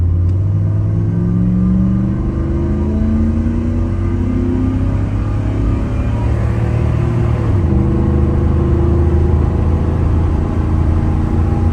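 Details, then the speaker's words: 1997 Dodge Ram 1500 with 318 (5.2L) V8 on a road test after plenum gasket repair: steady low drivetrain drone with rumbling growl over the engine; horrendous rear axle noise while driving, pinion nut had repeatedly been backing off. "It is making horrendous noises out of the rear end. What's that rear end? Okay, well, here we are. Now this thing makes horrendous noises when going down the road."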